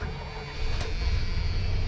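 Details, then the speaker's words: 1987 Dodge RamCharger, start after topping up the transmission fluid: the engine catches within a moment and settles into a steady, even low rumble with no misfire; it starts right up every time. "starts up right up every time man she's a good girl"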